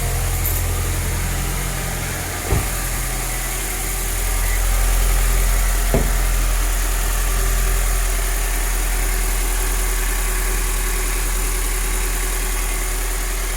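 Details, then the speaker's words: 2013 Toyota 86 idling after the drive belt was replaced with a Dayco 6PK2070. A steady, even idle with a smooth low hum and no belt squeal or chirp, apart from two small clicks. It sounds healthy. "So now we're gonna start up the car, have a listen, see if there's any noise that's not supposed to be there."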